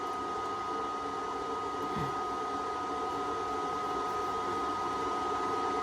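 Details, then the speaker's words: Flux-core MIG welding thin repair panel on a 1967 VW Splitscreen with Hitbox MT2000, amps and voltage turned down: steady, even frying hiss with no pops or sputter, a correctly set weld. "Well, just spot welded it there, then done a little seam using the welder, hitbox welder, and I had to turn down the amps and the voltage because of the thin metal."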